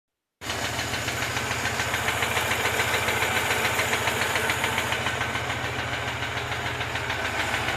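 Petrol engine at idle with a sharp, even tapping about three and a half times a second, riding clearly above the engine note.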